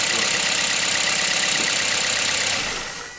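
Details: 2010–2011 Toyota Corolla with the high-mileage 1NZ engine, after water from an engine-bay wash at a car wash caused a crank no-start: now repaired, it idles with a smooth, steady, unbroken beat and no misses.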